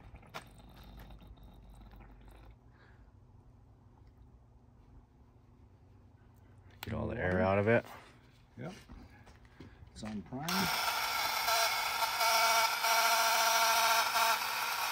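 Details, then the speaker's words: New cheap paint sprayer pump priming on extension cord: loud harsh steady drone with coarse grinding edge after handling; sounds like pump gears grinding, cause suspected, unit failed despite cleaning. "Prime sounds like those gears are like grinding in there well we failed so we're going to get another one coming"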